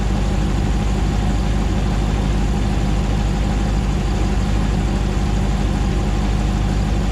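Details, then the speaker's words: 2009 Hemi 1500 TRX4 auction truck, first start after months of rebuilding, about 87 psi oil pressure: deep, even V8 idle, steady low rumble, no misses or knocks, settling smoothly while warming up, no longer jerking like before; normal idle. "it's about 87 pounds of oil pressure currently sounds nice and smooth it's coming down on an idle we're not seeing it jerk around like it was before so that's good he sounds nice and happy"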